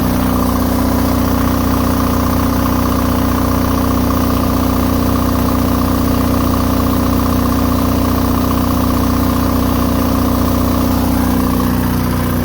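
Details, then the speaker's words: Onan DJB MS diesel generator set under full load, all four on high, near 6,000 watts, microphone close to the set: steady, even drone at constant pitch with no bogging or hunting; frequency holding, pulling load cleanly. "you can see, we're very close to 6,000 watts, just shy by a few. Frequency is holding good."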